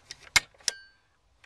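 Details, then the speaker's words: Adjusted high-beam dimmer switch on the steering column of a 1978 Oldsmobile Cutlass (G-body GM column), screws snugged, turn-signal lever pulled back: two crisp, sharp clicks about a third of a second apart; the dimmer switch engages cleanly. "all right guys well there you go that is how you properly adjust a high beam switch on an older general motor steering column also used on AMC cars and trucks"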